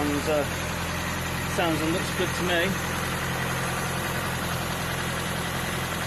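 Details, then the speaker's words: Mk3 Ford Cortina Estate after carburettor rebuild, warmed up after running on choke: even, steady idle with a smooth low beat, no misses, hunting or knocks; idles as it should and revs nicely. "me there you go Simone one carburetor rebuilt warmed up and idle in as it should it revs nice"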